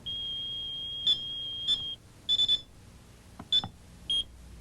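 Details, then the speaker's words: AT&T security system 8000 accidentally triggered by opening a window in the home state: steady high alarm tone stops, then short key beeps as the three-digit code is entered; audible alarm silenced normally. "but if you do set off the alarm accidentally you can turn off the audible alarm simply by entering your three-digit code and pressing"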